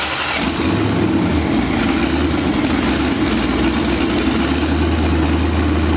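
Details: Mazda RX-7 with twin-turbo Gen 3 5.3 V8 (stock pistons/rods, 243 heads, mild cam), first start in 2 years: catches right away, idles near 1000 rpm surging up and down instead of target 850; owner suspects faulty wideband O2 sensor.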